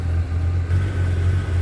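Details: 1978 Chevy C10 with a freshened 400 V8, recently adjusted carburetor and a 4.3 starter: steady, even low rumble with no misses, knocks or ticks; the V8 sits at a smooth, settled idle.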